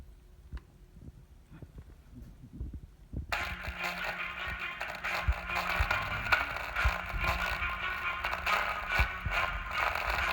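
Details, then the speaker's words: MacBook Pro Retina 13-inch (A1425/A1502) playing audio: harsh crackly buzz from the laptop speaker throughout, before opening and repair; speaker crackling distortion. "So that's it guys. Did you hear the cracking sound? Um, so now we will open the device and check what's the problem."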